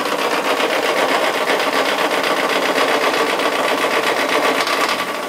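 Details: Mazda Miata first start in 8 months with fresh oil, after briefly running about 1 second at full throttle with the throttle propped open: rapid hard ticking knock about four beats a second at idle, cause unknown.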